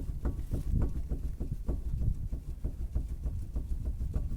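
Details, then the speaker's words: Chevrolet Aveo 1.5, front wheel jacked up and rocked while watching the ball joint; dull clunks about two a second, boot intact but play present, worn front ball joint causing knock over bumps. "Вот. То есть звук происходит от нее, и при нормальном ее состоянии она не должна шевелиться, она должна быть мертва."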